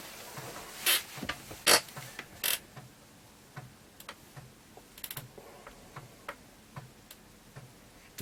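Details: Atari ST 520 rebuilt from two rough units, shielding refitted, loading a game disk: scattered dry ticks and short clunks as the head steps across the disk while reading; a normal floppy drive loading.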